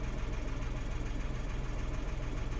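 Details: 2016 Renault Twingo 1.0 three-cylinder, engine and spanner lights on with codes DTC013513 and DTC11501C; low, lumpy idle with steady uneven pulse and slight shake, no sharp knocking; rough idle.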